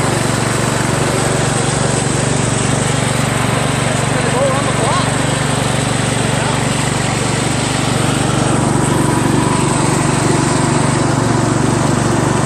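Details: Craftsman LT1000 lawn tractor after new drive belt install (owner unsure it's the right belt), first test drive around the block: steady even single-cylinder drone, a bit loud, no misses or surging; engine running normally under load.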